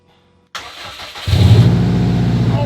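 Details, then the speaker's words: Subaru Impreza, first start in three years after a full rebuild: starter spins briefly, then the engine catches and settles into a deep, loud, steady idle with no knocks; healthy start. "she sounds incredible she's running I can't believe it she's absolutely running she's loud"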